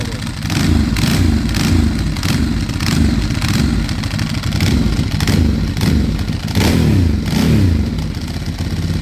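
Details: 2008 Ducati Hypermotard started after 2 years sitting, restoration project: loud lumpy V-twin idle with dry metallic clutch clatter over each beat, rising with blips; service, EML, fuel lights on; owner unsure if normal.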